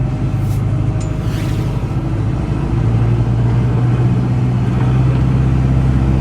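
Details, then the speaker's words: Land Pride 2672 brush mower on a tractor PTO, started at lower rpm with some clanking and jostling, then brought up to the recommended PTO speed of 250 rpm: deep steady drone that firms and evens out, no knocking. Normal running. "Recommended at 250 RPM on the PTO."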